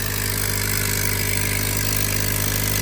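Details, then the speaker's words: Crash-damaged, rebuilt 2025 Honda Accord, first start: very loud rough idle with constant hiss of escaping air; likely an exhaust leak, air pushing out at one spot. "You guys can hear, it sounds very loud, very, very loud. As if there's like a leak somewhere, like an exhaust leak or something somewhere."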